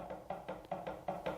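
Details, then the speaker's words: 1965 GM 12-bolt rear end rebuild, ring gear rocked by hand after a shim was moved from one side to the other: sharp, even clacks about five a second. Too much ring and pinion backlash. "you can hear that now that's too much that's a lot I mean it's you know in in terms of backlash that's a lot"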